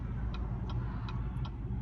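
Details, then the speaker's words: LMM Duramax diesel on a long trip, after clearing codes P2286 and P2627, one an O2 sensor pumping circuit code: low idle with a sharp tick about three times a second over the rumble; idling rough and puffing exhaust. "and it's idling like crap. I'm gonna go ahead and see if that helped."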